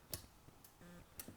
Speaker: can also hear the clicking of the PLC's relay output